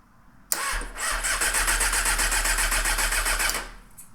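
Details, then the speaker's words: 1998 Honda CBR600 with airbox closed up: starter cranks fast for about three seconds before the engine barely catches, hard start; carb sync possibly needed, runs a little rough, suspected lean. "why did it take so long to fire up do you need need to sink the carbs ho ho probably so"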